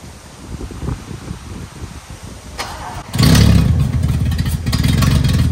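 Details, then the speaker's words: 1974 Toyota FJ40 barn find, not run in about five years: about three seconds of even cranking, then catches and runs strong and steady; normal cranking and start. "so yeah pretty much every time once you get it going the first time requires some quick start"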